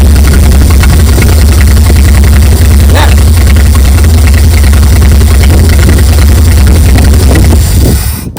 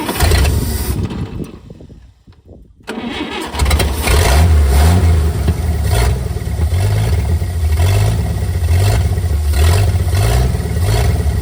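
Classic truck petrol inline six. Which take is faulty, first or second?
second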